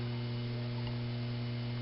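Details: 2001 Altec Lansing AVS500 computer speaker system: steady low mains hum with even overtones and no music; subwoofer pops, middle IC and a resistor run very hot, a suspected short remains.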